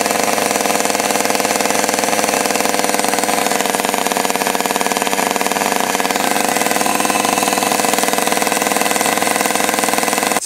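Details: Stihl 020 AV chainsaw after fitting a new clutch, new chain and bar, fueled for its first run: steady, even high-revving buzz with no misfires or surging, then a clean cut-off. Normal running after repair.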